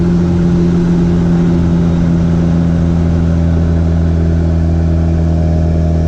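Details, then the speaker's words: B3000 pickup with Cummins turbo swap, driving after the build: deep, loud, steady diesel drone with even low growl, no knock or rattle; pulls cleanly, feels smoother and more powerful than ever, running good. "there you have it it's running good and it's loud yeah sounds good guys"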